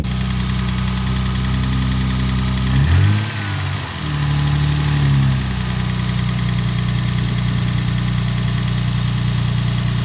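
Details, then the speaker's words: Lexus SC300 drift car after clutch replacement (clutch had slipped at a drift event), engine restarted: even, steady low idle with one brief throttle blip, no misfire now though it was misfiring on first start; normal idle. "How's it seem though? It's not misfiring. It was misfiring when we first started it."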